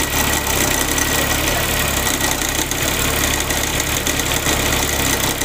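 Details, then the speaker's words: Suzuki FX at idle: busy metallic rattle over the idle, not alternator bearing noise (alternator checked fine by electrician); cause found to be loose alternator mounting bracket; loose alternator bracket rattle. "ये आवाज़ आपने सुन ली होगी, ये आवाज़ generator के bearing की नहीं है।"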